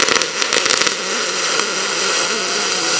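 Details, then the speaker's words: Aluminum MIG welding with a spool gun at 21.5 V and about 415 wire feed speed, set for spray transfer: a few pops at the start, then an even, steady hum rather than a sizzle with faint popping. Normal weld sound. "I do set this up so that it runs like spray transfer, but I want you guys to hear how I like it to sound. It's more of a hum than a sizzle."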